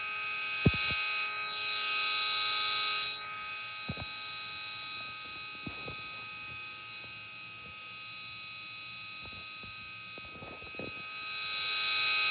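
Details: VTech MobiGo 2 handheld with its game cartridge tilted and poorly seated; an extremely loud, high-pitched electronic buzz like a vacuum, held steady with faint pulsing and occasional clicks.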